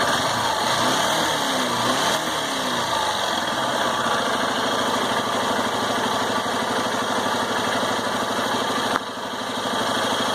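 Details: 2018 Honda Titan single-cylinder, 1,560 km, engine hot: idle with an irregular light tapping about three a second over the exhaust beat; mechanical chatter appears only when warm, cause unclear.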